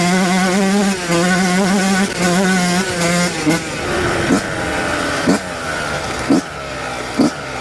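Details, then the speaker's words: Yamaha YZ125 two-stroke held at wide open throttle with a 430 main jet suspected too rich. High, even buzz with short blips, revving out clean without misfire. It may be loading up a little at low to mid range. "So, it does seem to rev out pretty clean holding it open. So, it might just be loading up a little bit at low to mid-range."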